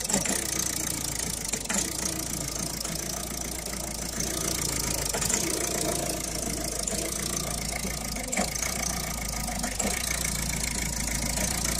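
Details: 2011 Citroën Picasso diesel after replacing the diesel pressure sensor, which fixed the gurgling and smoke: smooth idle with a faint irregular ticking and light rattle on top; tensioner and pulley noise.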